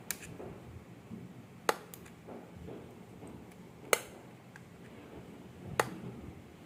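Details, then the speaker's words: Top-load washing machine pressure sensor (water-level switch) bench-tested by blowing air through a small petrol pipe: four crisp single clicks at uneven intervals in a quiet room; switch snapping over cleanly, sensor working normally. "చూసారు కదా friends, మామూలుగా pressure ఇచ్చినప్పుడు sound వస్తూ ఉంది."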